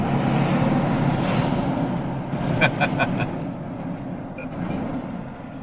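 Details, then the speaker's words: Jeep Gladiator with newly fitted aftermarket turbo on its first logged drive at half to 3/4 throttle: engine pulls, faint high whistle rises over road noise as boost builds; turbo kicks in, spooling normally, gauges good. "the turbo kick in and you FEEL it kick in! It's pretty cool!"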